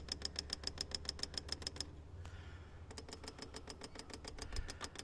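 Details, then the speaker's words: Toyota 1KZ-TE diesel spill control valve removed and bench-tested, with power touched on repeatedly. Crisp, even clicks about four a second show the solenoid opening and closing properly, which helps free up a sticky solenoid. "then as I touch this on that repeatedly don't hold it on there do it multiple times like this and then you'll be able to hear it clicking"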